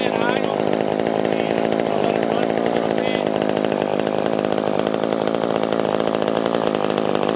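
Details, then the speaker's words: Older Poulan 2000 chainsaw that had sat unused, after carburetor cleaning and fuel line trimming: small two-stroke buzzing at a fast, even idle with a crisp rattle on top; normal idle. "man so you guys can still hear it running in the background i'm gonna let it sit out there for probably about 10-15 minutes just kind of idling"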